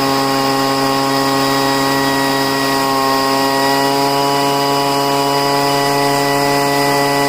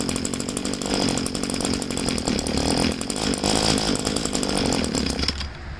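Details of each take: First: Poulan two-stroke leaf blower at full throttle after five months of storage and richening the high-speed mixture screw: steady high drone holding even speed for ten seconds, no surging or sputtering; running cleanly. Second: Two-stroke weed trimmer being winterized, fuel tank drained, primer bulb empty, run on choke: raspy uneven buzz sputters then cuts out abruptly; running on choke until fuel starvation stall.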